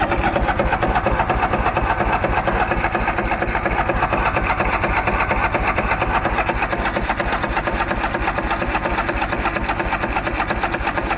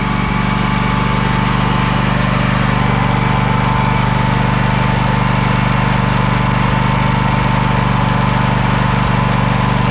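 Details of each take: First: Craftsman DYS4500 mower, Craftsman Kohler Courage 26 hp, sat over a year, cranked with throttle and choke: even rapid starter chugging about two beats a second, never firing; crank no-start from fuel not reaching the carburettor. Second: Craftsman DYS4500 riding mower, 26 hp Craftsman Courage engine, revived after sitting over a year; steady even thrum at constant pitch, no misses or knocks; smoking a little but runs well; normal running, needs new fuel cap and fuel line.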